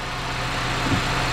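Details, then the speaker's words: 1979 Chevrolet Malibu (also called a 1982), 305 V8, first start after sitting about 20 years, fuel pump now working: a steady, even idle with a low, smooth burble and no stumbles, dips or knocks. Healthy idle. "it runs good oh Chevrolet 305 baby fuel pumps working"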